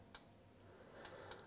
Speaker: While you're inside the dishwasher, check your float valve. Make sure it operates freely, moves up and down. You can hear a little clicking when I do that.